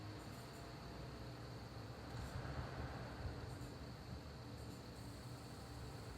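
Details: Sapphire R9 390X Nitro graphics card: thin, steady high-pitched whine with faint chirps over soft fan rush; graphics card whine, cause not pinned down.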